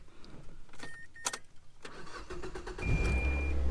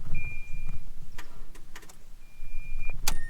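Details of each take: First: Mazda with dead battery, jump-started with an IMAZING IM29 portable jump starter. Brisk quick cranking catching into a steady low idle: strong starter, clean normal start. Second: Mazda that had cranked slowly and failed to start; key turned before hooking up an IMAZING IM29 jump starter. Only faint clicks and a warning chime, no cranking: dead battery, won't turn over.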